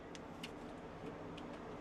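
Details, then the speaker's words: Velit 2000R Mini 12V rooftop AC on a 1976 Chinook camper, 2023 Nissan Frontier, first power-up from a fully charged Comvolt 4200 drawing about 208–217 W: steady low whir, faint hum and light ticks as the fan spins up normally. "So, we got full battery >> and it's firing up. You hear it? You hear it moving? It's Oh, yeah. >> Oh, yeah. I hear the fan."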